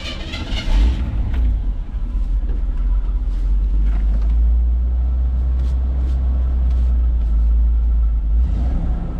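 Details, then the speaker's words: 1979 GMC Vandura idling with a new muffler fitted but no tailpipe yet: deep, steady, open exhaust drone, louder and rawer than normal, with a bit of a burp; loud exhaust from missing tailpipe. "I'm curious to what this sounds like without a tailpipe. So, let's hear what the muffler sounds like."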